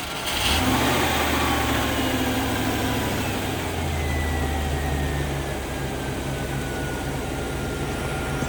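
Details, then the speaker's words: 1989 Range Rover Classic V8 after a cooling system overhaul with a new water pump and belts: a steady, even low idle hum with a smooth rhythm and no squeal or chatter, quieter than before, no leaks. "so much quieter now that I don't have uh I guess bad p or something these new belts I don't know it's it's absurdly quiet more quiet than it was before"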